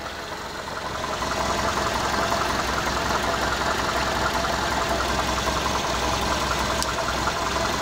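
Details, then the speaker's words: Big-cammed truck, first start with empty tank after radiator replacement and wiring repair: uneven loping idle with rough rhythmic chop about three or four beats a second; cam always idles like this, though later seems to miss a cylinder. "sure sounds like he's going to die too don't worry it's cam it always idles like this"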